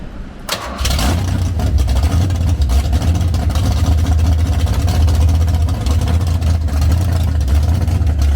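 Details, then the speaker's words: Foxbody Mustang cold start after fuel-fitting and water pump leak repairs, a fuel leak still present: cranks briefly, catches within a second, settles into steady even low idle, no misses or knocks; normal cold start idle. "What about that? Pretty good. Dang, it sounds good, doesn't it? I think it sounds really good."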